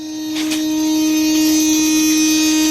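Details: Coyote-swap car with the ignition on: the constant control relay module (CCRM) in the passenger front fender well buzzes loudly at a steady pitch because it isn't properly grounded.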